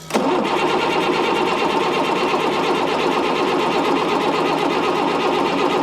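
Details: Ford F650 diesel service truck sold as inoperable: continuous starter churn with fast, even compression beats for six seconds and no firing; fuel pressure tested fine, and a non-working grid heater is suspected.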